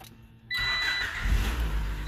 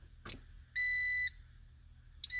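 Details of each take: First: Car whose aftermarket fuel pump drew more current than the wiring could carry; with the pump hooked back up and fuel pressure restored, the engine fires at once and settles into a steady, even idle. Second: Key-on with a brand new fuel pump and a roughly 8-year-old battery: chime and relay clicking on and off, but no pump hum and no fuel pressure (30–35 expected). The pump is not running.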